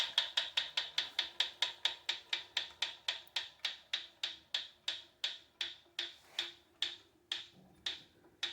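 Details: Proform Power C7L iFit exercise bike: sharp, dry ticking from the flywheel area, about five a second, following the pedalling and slowing as the wheel coasts; always present, getting louder and more frequent, wheel wobble worsening, bolts tight, no visible rubbing.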